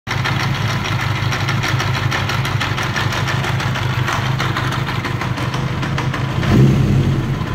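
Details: 1980 Kawasaki KZ750 motorcycle idling roughly, low putter stumbling and surging, then stalling; cause unknown.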